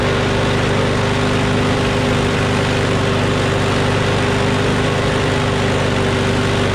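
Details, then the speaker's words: Craftsman push mower with a Briggs & Stratton Quantum engine, about 23°F, after easing spring tension: steady, even speed and constant tone with no hunting or surging; slight vibration, owner suspects the blade is a little out of whack. "so okay that sounds much better now alrighty ready ready so it vibrates a little bit which means the blade is probably a little bit out of whack"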